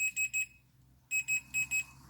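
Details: Industrial welding turntable with cooked earth conductor: continuity tester gives sharp high beeps in two quick groups, three then four, each time a probe touches ground; conductors shorted to earth, cable or motor not yet determined.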